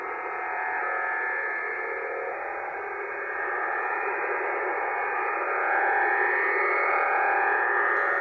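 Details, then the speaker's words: HF receiver on the 40 m band, drifting from 7.187 to 7.189 MHz at about S9: harsh, rapid rasping pulse, about four beats a second, over receiver hiss; over-the-horizon radar interference. "it's not uncommon to find things like this on the high frequency bands it's uh the bane of many high frequency operators lives"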